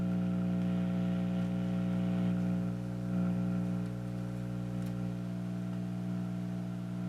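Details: Dual 506 turntable through a small amp's phono input: constant low buzzy hum on both channels, unchanging and rhythmless; a broken or high-resistance connection is suspected; hum in phono output.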